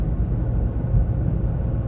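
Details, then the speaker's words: Renault 1.5 dCi after refresh of injectors no. 3 and 4, cruising at about 79 km/h in 5th gear, at operating temperature, A/C on: smooth low drone with no knocks, ticks or whine; no abnormal noises. "I don't hear any noises or abnormal noises."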